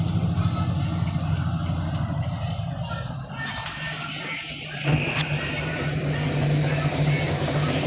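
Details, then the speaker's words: Eureka automatic washing machine after repair of a no-power fault. It now runs with an even, low motor hum that shifts once as the cycle changes, with no grinding or clunks. Normal running. "Nagawa ko na itong Eureka Automatic washing machine. No power. So ngayon, buhay na ulit siya."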